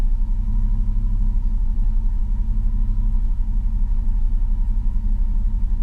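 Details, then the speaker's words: 19-year-old 2000 Chevrolet Silverado after a starter replacement, with the battery unplugged overnight: deep, lumpy idle that surges and sags as if about to stall; owner suspects the ECU forgot its idle and needs to relearn it. "19 year old truck so you know that's pretty good still sounds like it wants to stall"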